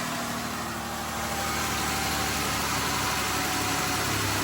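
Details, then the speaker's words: 2008 Ford Escape V6 after replacing a seized serpentine belt tensioner. Steady idle with a smooth belt and pulley whir, with no chirp, squeal or slap; the belt rides all pulleys and the AC and power steering spin: normal idle. "yep everything's spinning AC spinning crank spinning power steering back there spinning you can see everything's spinning so we are good to go"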